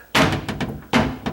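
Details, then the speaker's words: Cabinet door in a condo being inspected before renovation: two sharp wooden thunks, each followed by a lighter knock, as the door closes and its edge strikes the center stile, leaving marks; protruding screw could be made flush or inset to fix. "And see, here, each one of these has the style. That's what's hitting."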